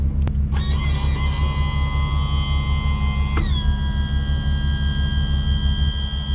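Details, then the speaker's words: Yamaha F300 outboard on a Grady-White 307, cold 42°F day, after replacing leaking trim seals and bleeding air: steady electric trim pump whine over low hum, pitch easing as it reverses; trim runs smoothly, air mostly bled, normal operation. "Alright, our air is bled out. Filled it up for the final time here. Let's give her a snug. Don't want to go too tight with that. Now she should trim up and down real good."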